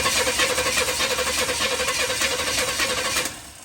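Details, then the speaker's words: Chevy 350 bought used, fitted with an intake manifold, for a 1972 Chevy 4x4 truck: starter cranks at an even rhythmic chug for about three seconds with no catch or firing; crank no start. "Yep, that was nothing. Don't want to do it."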